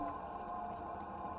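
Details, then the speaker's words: Lancia Gamma Series One interior heater/cooling blower fan, switched on: steady even mid-range whirring hum; the fan runs noisily. "a noisy old oh and that's their cooling a fan on the switch down here that is noisy stop ha ha there we go"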